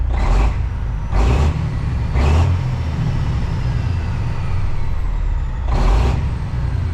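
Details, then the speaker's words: Kenworth cabover diesel under restoration, warm after fast idle with diesel cleaner. Short throttle blips over a steady low rumble, each pulling clean with no burble; check engine light went out, owner guesses a gummed or stuck injector freed itself. "It's like smooth, you know, like it's supposed to be. And the check engine light went out."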